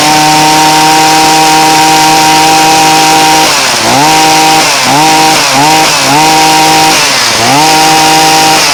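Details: Poulan Pro 2322 two-stroke hedge trimmer, mixture screw being turned with a slotted screwdriver since splines were missing: steady high buzz repeatedly sags and recovers; unstable running during carburetor adjustment.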